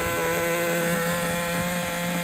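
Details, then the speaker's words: Traxxas Nitro 4-Tec 2.5 RC car nitro engine after loosening over-tight brakes: high steady buzzing scream at high revs, even pitch, no stumbles or misses; running a lot better. "It was the freaking brakes. Running a lot better now. I can't believe"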